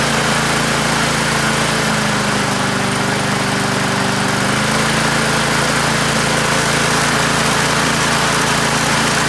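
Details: Australian-built Rover four-stroke mower after governor spring straightened: small single-cylinder engine holding steady, even speed with no misses or knocks; running normally.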